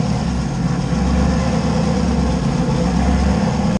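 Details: LS 5.3 V8-swapped Fox-body Mustang after refueling, idling: deep, steady V8 idle with an even beat and no knocks or misses; sounds healthy and ready to drive, with only a radiator cap still needed.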